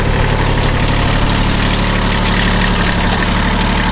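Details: 1981 Kubota B6100 four-wheel-drive diesel tractor at 32 degrees after snow; deep steady clatter at smooth even idle, no knocks or surging, normal diesel idle.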